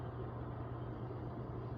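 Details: Hot tub jet pump motor after replacing its bad capacitor (it had only hummed and the jets on that side didn't work): steady low hum with even water rush, no straining; pump now starts and runs normally.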